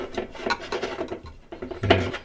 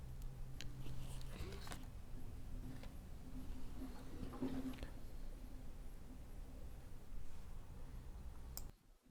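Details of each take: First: LG top-load direct-drive washer WT7800CW that won't sense or wash: agitator twisted by hand makes dry uneven rasping and grinding and wobbles loosely, agitator disconnected from drive shaft. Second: LG top-load direct-drive washer WT7800CW after agitator repair: low even motor hum with soft tone and light clicks as it senses the load weight normally before filling the basket with water.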